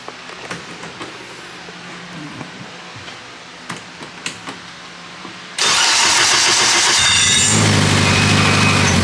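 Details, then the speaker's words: GS-R AWD after a good find was fixed, fuel pressure 50 psi holding 40, before dyno tuning: few clicks, then catches at once and settles to a steady, even idle, a reading high at almost 70; starts much better. "Starts up way better."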